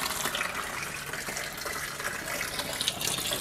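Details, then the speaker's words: Small DIY aquaponics grow bag with bell siphon, water added to trigger it: steady gushing, gurgling rush of water draining hard through the siphon; siphon has kicked in and drains the bed nearly dry, normal. "Air akan keluar sampai hampir kering lah air dalam kita punya grow bag ni. Kita tunggu siphon ni stop."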